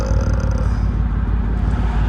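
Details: Petrol engine idling lumpy with a constant single-cylinder misfire (putt-putt beat) confirmed on live data; plugs changed two years ago, likely dead ignition coil or fouled plug, misfire destroyed the catalytic converter.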